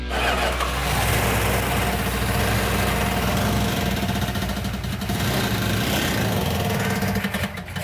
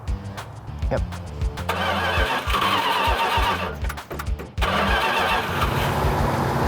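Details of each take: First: 1970 Plymouth 'Cuda 340 V8 first start after fixing a missing fuel tank sending/pickup unit: fires and revs with a rough, uneven beat and a thin tinny metallic rattle on top, pointing to a loose flex plate. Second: 1970 Plymouth 'Cuda 340 V8 idling during break-in with a few throttle blips: steady, even idle that settles smoothly, running much better; vacuum leak likely cured, to be warmed to operating temperature at about 2000 rpm.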